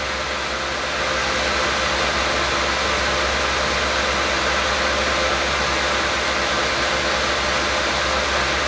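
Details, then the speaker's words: Lenovo ThinkCentre M91p desktop booting Windows 10: steady loud rushing whoosh with no rise or fall, fan apparently pinned at 100%; cause of fan running so loud not yet determined. "Yeah, it's annoying that the fan is so loud. I don't know if you can hear that or not."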